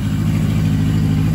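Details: Yamaha XJ750 motorcycle that wouldn't run, carbs cleaned with Seafoam fed through the fuel line and left a day, idle screw adjusted: deep, even thrumming with a steady quick pulse, no misses; now idling smoothly.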